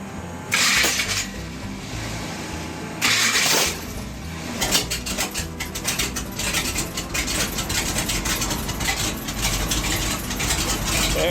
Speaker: Boy, this thing sounds good. I know. Oh, I haven't heard it this way. I haven't heard it with the headers.